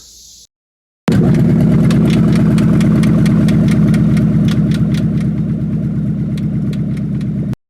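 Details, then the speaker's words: Ford Mustang revving: sharp regular ticking knock about three per second over a steady drone, from the rear of the motor or bell housing area; persists after transmission removal and part replacement, oil pan removal next. "all this is to inspect a knocking noise coming from the back of the motor or it's either in the bell housing area which already took the transmission off looked at all that stuff everything looks fine replace a couple things put it back together so it still made the same noise I'll go ahead and put that noise in here"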